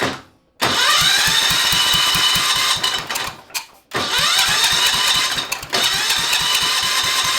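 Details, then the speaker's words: Kohler K301 engine on Cub Cadet 582 pulling tractor build, first fire-up on table with temporary fuel tank, jump pack, choke off: starter whirs in three bursts with steady compression beats but never catches; weak spark, later traced to bad condenser. "Trying to fire. All right. I think I need to adjust the points. I did check it. It did have a spark, but it was a weak spark."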